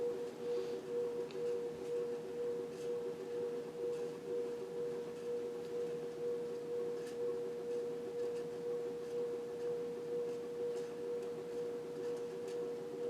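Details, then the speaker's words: 52-inch four-blade Fasco Parlour ceiling fan, older model with cardboard-box variable speed control and noisy bearings, nearing full speed: a steady motor hum with a soft pulse about twice a second; the canopy braced against the ceiling partly dampens it. Wobble. "Nearing full speed on the variable setting. And this is where the wobble starts to settle in."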